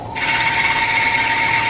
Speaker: It's very cold in here. You can hear the belt squealing. Come on. Spindle needs to warm up for a second anyway.